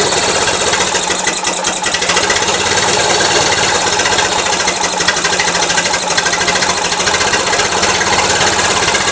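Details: Gravely 450 with Onan CCKA twin, shroud off, running with a fast steady rattly tapping over busy clatter; running a little rich, owner suspects compression escaping or piston trouble, now doubting cam bearings; knocking noise.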